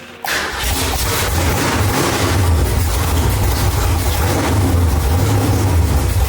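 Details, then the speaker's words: 1965 Mustang with a newly installed 331 stroker V8, running without coolant while ignition timing is being dialed in: a deep, uneven chop with loose, irregular beats, barely wanting to run; rough, lumpy idle. "That sound of it barely wanting to run and the can chopping like a mother. Uh, that was us dialing the timing."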